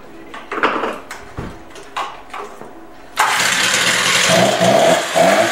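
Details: Stihl TS350 cut-off saw after engine rebuild and idle screw adjustment; several pull-start attempts, then it catches and revs freely but the pitch sags briefly once, a slight bog on the throttle, hesitation on acceleration.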